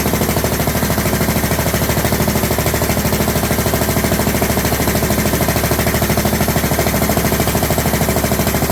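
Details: John Deere LT150 with swapped-in 15 HP Kohler engine at idle, no choke, after fuel pump primed: loud hard even popping beat, sharper than normal; exhaust leak at overlong exhaust studs, later redone and quiet.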